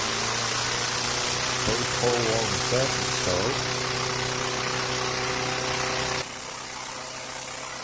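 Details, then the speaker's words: 2023 Craftsman 11A-A2T2793 (M110) mower, first cold start of the season after service and a refurbished spark plug. Started in two pulls with no primer or choke; small single-cylinder holds a smooth, steady idle with no surging or missing. "Ah, 2 pulls. Sounds good. Smooth. No surging or missing."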